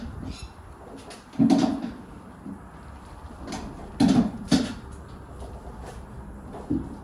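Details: Car pushed slowly out of gear in quiet garage after first track day; irregular low creaks seconds apart from rear, owner suspected hub or birdcage; cause was loose rear wheel nuts.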